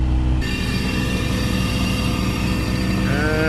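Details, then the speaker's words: 2004 Mazda RX-8 rotary, revived after sitting for years with new coils, wires, plugs and fluid flushes: a warm idle at about 800 rpm with normal temperature, a steady smooth hum with no stumble. Normal warm idle. "I don't know if you guys can see in there some more sitting there at about 800 RPM so that's nice temperature is mint"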